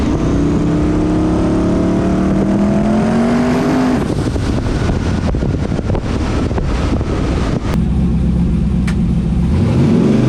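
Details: Mustang built for Pinks drag racing at Rockingham Dragway, test hit: revs climb, then the note abruptly drops and breaks into rough popping as it comes onto boost. Car shuts off every time under boost; suspected boost cut, unconfirmed, no log data.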